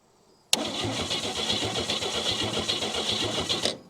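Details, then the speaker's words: 1959 Chevy Biscayne, 235 engine with Powerglide, sat in a junkyard probably 30 years or more, fresh battery: the engine spins over freely at about four pulses a second but never catches. There is no spark, so the points are to be cleaned. "and I already know that it has no spark so without even pulling a spark plug and trying that I'm going to pop the cap and uh we're going to clean the points and see if this bad boy will will fire up again"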